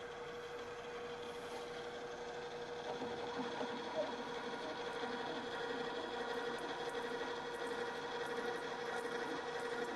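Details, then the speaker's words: Drill press drilling after shifting the transmission into the other speed range: steady, even hum with a clean mid-pitch tone and no stutter or rattle, and the earlier chatter is eliminated. Normal drilling. "and this has eliminated the chatter"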